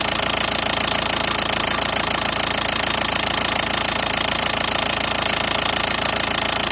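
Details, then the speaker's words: Knock on a 2012 Nissan Qashqai 1.5 diesel that began suddenly on a morning start: a hard, even knock at about three and a half per second at idle, the same all over the engine and at every injector by stethoscope; camshaft timing jumped from a sheared pulley key. "после того как мы прослушали двигатель звук какой-то был непонятный равномерный по всему двигателю по всем форсункам так скажем"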